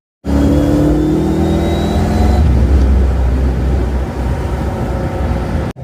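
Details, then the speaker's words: Ford Mustang with new mufflers and tailpipes, cruising on the open road; low exhaust drone with a thin whine that rises on throttle and quiets when lifting off; rear differential whine. "I can hear the rear end whining again a lot better. See, I let out the gas and it's quieter. Give it gas. There's the rear end again going crazy."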